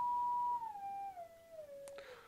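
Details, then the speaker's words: Advanced J1B AF signal generator via speaker, range about 1 to 4 kilocycles: clean pure tone near one kilocycle gliding smoothly down as frequency knob turns, no warble or dropouts; healthy oscillator frequency sweep. "the frequency goes down from a kilocycle and goes up to 4,000 cycles on that range."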